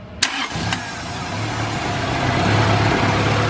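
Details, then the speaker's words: Honda Civic EG hatch, long-stored, after cleaning corrosion on the idle air control valve connector prong, started as a workaround since starter signal still fails: brief crank, catches and settles into a steady, even idle holding on its own, normal idle. "So it had corrosion on the prong for the idler control valve. So I've cleaned it and put it back together. And now, since our starter signal doesn't work still, we still use this here, and"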